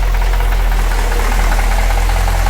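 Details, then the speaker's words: Project car's first start after 2.5 years of work, oil pressure 36 psi at idle: steady idle with a light, rapid ticking over the firing pulses. Top-end ticking, possibly valve train noise; the cause is unconfirmed. "There's still a top end noise going on that I'm not"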